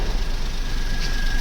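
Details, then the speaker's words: Automatic Maruti Wagon R idling after repair. The noisy clutch bearing that made kach-kach sounds in the gearbox was replaced, along with the worn clutch set and leaking main oil seal. Smooth idle hum with no clatter or rattle and nothing from underneath; normal idle. "देख सकते हो गाड़ी हो गई start और जो पहले आवाज थी वह बिल्कुल भी नहीं आ रही है पहले काफी आवाज आ रही थी लेकिन जो साउंड है वो बिल्कुल खत्म हो चुकी"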